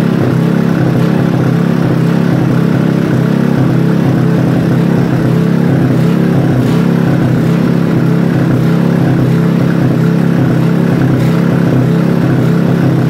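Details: Robin small single-cylinder engine during restoration, first start: runs strong with a deep steady thrum and some revving, no knocks or misses; sounds healthy.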